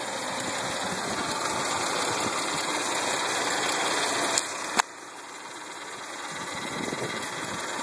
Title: 2009 Hyundai Santa Fe Strange Engine Noise